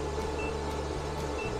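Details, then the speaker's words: 12V 100Ah LiFePO4 battery capacity test, with about 100 Ah and 1,247 Wh drawn so the battery is nearly empty. The inverter gives two short, thin beeps about a second apart over a low hum, likely its low-battery alarm. "oh we hear the inverter beeping up over here let's see if we can't get to 101"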